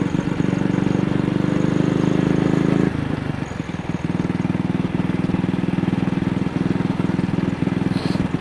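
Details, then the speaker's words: AJS single on the road after the carburettor slide was cleaned for a sticking throttle, plug looked fine: uneven thumping at slight throttle with occasional dropped firing strokes; misfire, cause not found. "It only seems to be happening on a very slight throttle opening."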